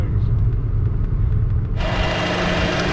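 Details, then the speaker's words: 2014 Chevy Cruze 1.4 turbo four-cylinder at idle: light, sharp snapping on cylinder 4 from a misfire confirmed by scanner misfire counts, suspected ignition coil pack or boot, worse when damp; a faint belt-like chirp is suspected to be the PCV valve. "now if you listen number fours over here can you hear that snapping that's number four misfire"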